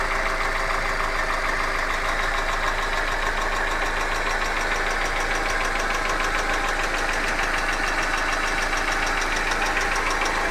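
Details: Hyundai Accent engine at steady idle with a regular knock roughly three per second; a knock of unclear source.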